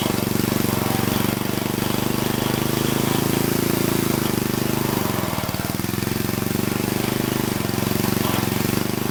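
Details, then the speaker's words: Old Troy-Bilt Horse tiller's flathead engine, being revived with valves cleaned, new plug and carb adjusted, thumps steadily, then bogs under load as the seized tines break free; afterwards high and low range engage, though the disc smoked in reverse. "But when I went to engage the tines, they didn't move. And now I grab the tines by hand, and they seem to be seized."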